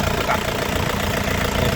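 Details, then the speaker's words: 2001 Isuzu Panther LS manual diesel, warm, at idle: steady, even crisp clatter with no misses, knocks or wavering, good vibration, no smoke; normal diesel idle. "Dari suara bagus, dari getaran juga bagus ya. Suaranya masih garing dan kita coba"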